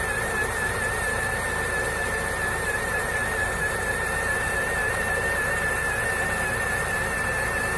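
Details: 2008 Lada Niva 4x4 fuel-injected engine at idle: a steady high whine from the crankshaft area that persists after an overhaul (new oil pump, gears, pistons) and with the alternator and water pump belts removed; source unknown.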